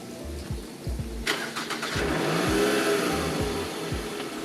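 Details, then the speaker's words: 2011 Toyota Alphard 2.4S, 2362cc I4 petrol: starter cranks briefly, the engine catches and revs flare up high at start, then drop to a quiet, even idle under 1000 rpm; normal start. "memang ketika nyala itu dia rem agak tinggi, cuma habis itu turun lagi, dan dia idle-nya di bawah 1000 rpm untuk menjaga kesenyapan layaknya sebuah mobil mewah."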